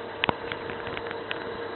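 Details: Late-1970s Tandberg Data TDV-2114 computer loading a disk at power-on, internal 8-inch floppy drive; steady mid-pitched hum with scattered sharp clicks, noisy drive belt though the drive works.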